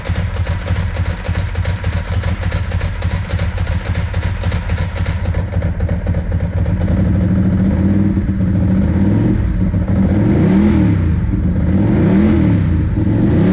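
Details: 2002 Ducati 748 V-twin, first run after fixing the water-contaminated fuel tank, fuel sender and pump wiring, and fitting new hoses: steady lumpy idle with clean, smooth throttle blips, running healthy.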